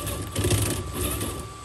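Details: HB R1001-series RC Ford Bronco gearbox, shifting from first into second under throttle: short burst of uneven croaking clatter over the small motor's whir, gears slipping and not holding in second.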